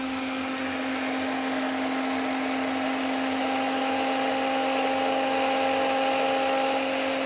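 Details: Starter (0E4271) from a 20-year-old Watchdog-branded Generac 15,000 W standby generator (model 0053820) that blows its 15 A fuse, run on the bench. Steady high whine with a gritty edge at 36 A and about 2,800 RPM against a 4,500 RPM minimum. Bearings sound worn; the solenoid is still suspected.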